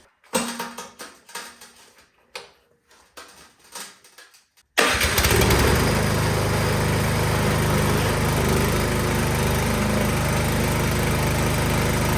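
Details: Snowblower after carburetor cleaning for bad gas: a few seconds of fiddling, then the small engine catches and settles into a steady, even run with no stumbling; starts and runs normally.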